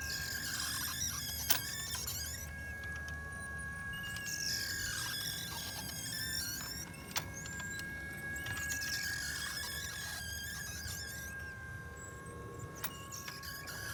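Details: Champion Wheelie Bird 2.0 clay thrower wobbler with a loose upper rack: high squeals come and go every few seconds over a steady whine, with sharp clicks as it jerks.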